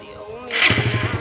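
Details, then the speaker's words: Suzuki Satria FU 150 motorcycle after repair, battery charged. It had been rarely used and wouldn't start from a weak battery and flooded carburetor. Fires on the first crank into an even idle of about nine firm pulses a second; starting and idle are healthy. "Oke, mudah sekali guys ya hidupnya ya, sudah tidak susah lagi hidupnya."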